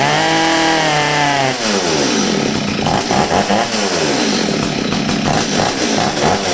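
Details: Old STIHL 023 chainsaw that sat over two years and bogged and stalled on throttle, after carburetor adjustment: screams clean at full throttle, pulls down steadily into the cut and holds revs without bogging; running healthy.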